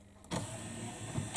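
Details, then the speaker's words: Memorex CD 5400 CD player after sticking-tray repair (plastic cut away so pin can move): short motor whir, smooth run and soft clunk as tray seats, no catching or sticking, straight in and out. "but you'll see the movement there's no sticking here now it's just straight in and out"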